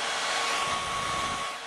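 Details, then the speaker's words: Early four-port PS3, previously reballed and reflowed, after fresh Arctic Silver 5 thermal compound: loud steady airy rush with thin constant whine, fan running almost at max, same as before though warmth now felt at heat sinks; cause unconfirmed. "Um, it's actually running almost on the max setting. Um, pretty much about the same as it was before."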